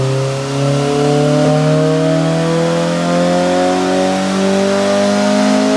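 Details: Honda Civic Si EP3 with JDM K24A2 swap on dyno, 91 octane tune, after clutch break-in: clean, smooth full-load pull climbing steadily to redline with no misses or rattles; healthy, safe air-fuel ratio.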